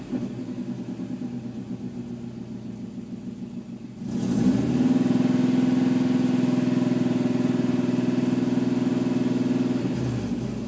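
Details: Engine idles with a low pulsing drone, then revs up and holds a steady hum; no clear tick or puff from a leak. Fuel trims show very rich at idle, leaning out with throttle; owner suspects a bad O2 sensor or an exhaust leak.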